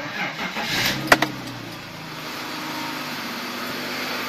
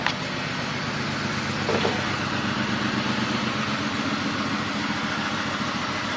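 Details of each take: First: 2002 BMW 525i after replacing faulty ignition coils on cylinders 2 and 4 (misfire codes): cranks briefly, catches cleanly and settles into steady, even idle with no stumble or miss; misfire fixed. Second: 2002 BMW 525i petrol six idling with check engine light on: uneven, stumbling beat of a misfire, scanner showing cylinders 2 and 4 misfiring.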